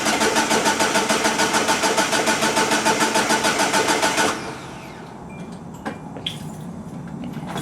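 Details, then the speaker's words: 2004 Hyundai Sonata that died while driving, with starter fluid: steady even cranking about three and a half turns a second, no catch; cranks but won't start, owner suspects fuel pump, possibly timing chain. "yeah I want to at least get it a little bit running I think that's a no-go"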